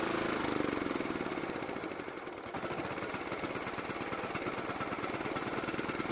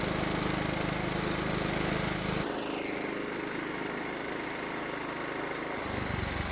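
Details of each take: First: John Deere riding mower single-cylinder engine, carburetor primed, thumps about four times a second, sagging then recovering unevenly, dying unless partly choked; lean running from faulty carburetor. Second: John Deere riding mower engine after carburetor reinstalled; previously ran only when mostly choked. Now runs steadily in run position, drops to a smooth slower idle, then picks up again without stalling: problem fixed.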